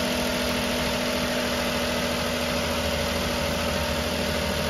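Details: 2008 Ford Taurus idling just after alternator replacement, codes cleared: steady, smooth idle with even hum, no whine, chirp or misfire; charging reads 14.3 V, healthy.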